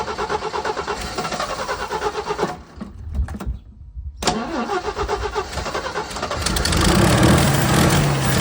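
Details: 1979 Jeep CJ5 engine, sitting since 2019, cranks, catches and cuts out, then surges unevenly on carb cleaner; fuel-starved rough running, owner suspects the carburetor and gas tank.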